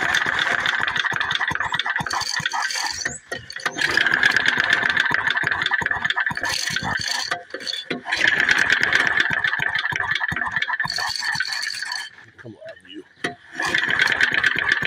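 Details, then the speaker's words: McCulloch H1500 generator with 3 hp Briggs & Stratton engine, choke pulled, at low idle: rough, patchy single-cylinder note with brief drop-outs but stays running. "all right so I've got gas in it it's got oil pull the choke all right we're on low idle here we go"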